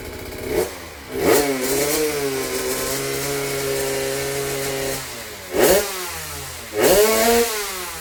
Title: kompresi lemah. suara ngorok bisa menutupinya..